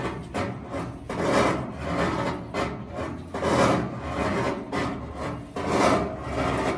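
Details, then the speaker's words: GE washer filled with water during the wash cycle: a slow rhythmic scraping rasp swells roughly every two seconds with each agitator stroke, a harsh grind from underneath. "e que hace un ruido en la parte de abajo como que raspar a muy feos"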